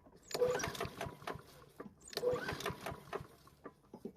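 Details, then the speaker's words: Lawn equipment small engine at spring startup after winter storage: two starter-rope pulls, each with a quick run of light metallic clanks as the engine turns over, then no start; cause not identified. "know if you can hear that but there's a slight clanking noise when you pull it over it's a real shame but it will be used until the engine dies"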